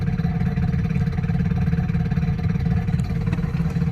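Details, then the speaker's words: 2008 Chevy Impala, about 150,000 miles, engine runs well: low drivetrain drone with faint steady whine while pulling in first, grinding in any gear, staying noisy once turning; suspected transmission, CV axle also considered. "once it starts turning it just stays noisy which is really odd so I think we're looking at a transmission"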